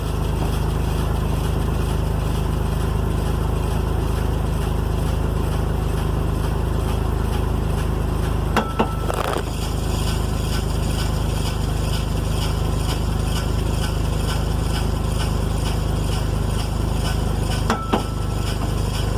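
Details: 2002 first-gen Toyota Tacoma, rear jacked up on stands, in 1st gear after a new OEM driveshaft support bearing: steady engine drone broken by sharp metallic clunks about nine seconds apart from the rear driveline/differential.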